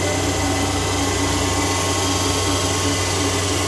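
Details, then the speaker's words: Okamoto IGM 15NC CNC internal grinder, ID spindle head running at 10,000 RPM, mic about 6 inches from the head: steady high hiss with fine constant whistle, no wavering or roughness. Very quiet, normal clean spindle running. "Yeah, probably 10,000 RPM, very quiet. And we're just going to take a quick look at this. And even turning it up, it's still pretty quiet. Yeah, no, super quiet."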